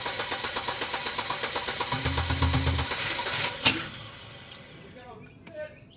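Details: Volvo 850 T5 turbo, first start in about 20 years after fuel pump and timing belt replacement, with the microphone down by the engine. The starter churns steadily at about four turns a second, then one sharp clunk and silence: a long-stored engine slow to fire.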